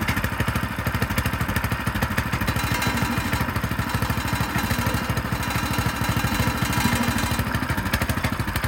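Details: Frontier OS18 sawmill engine after a blade change, cold start on choke: steady single-cylinder putter at about three firings a second, a touch uneven; normal cold idle.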